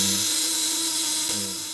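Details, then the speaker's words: Platinum contact-breaker electric shocker with 1 kg coil, 200–500 W, after polishing contacts: steady high-pitched buzz, even and smooth, with loose setting giving dimmer output and saving battery; vibration normal. "Suaranya halus kalau setting kendor, lihat."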